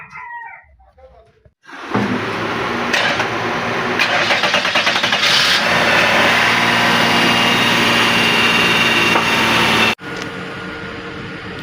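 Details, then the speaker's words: Lexus RX330 after throttle body replacement for high RPM: quick catch after short crank, then smooth, even idle at about 1000 RPM, no hunting or surging; fix successful. "You can see where the RPM is at 1000, though it's a little bit down. Okay, so this was a great fix."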